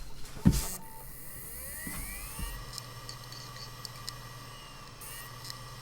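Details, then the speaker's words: Desktop PC: a sharp knock, then a whir rising in pitch over a second and settling into a steady hum; the CPU cooler fan speeding up, not the power supply. "ok c'est pas l'alimentation c'est le ventirad qui s'accélère"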